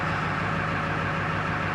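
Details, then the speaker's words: 1999 Ford F-250 7.3L Powerstroke diesel, 26°F, after fuel pump replacement and purging air: deep idle now steady and even with no stumbling or dying, looking a lot better than the earlier rough shaking. "we'll let it idle for a bit here that's looking a lot better"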